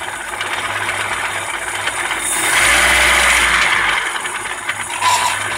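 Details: Opel Astra F 1.4 8v Si (C14SE) revving: uneven metallic rattle and knocking that seems low in the engine and swells with revs; turned out to be a failed coolant pump, engine quiet after pump replacement.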